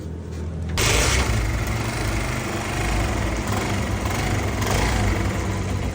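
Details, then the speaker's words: Motorcycle after fitting a harder tensioner spring to cure a bad engine noise, kick-started: it catches at once and settles into an even single-cylinder beat with no tapping or rattle; noise fixed. "आप देख सकते हैं माशा्लाह से engine की आवाज बिल्कुल okay हो चुकी है।"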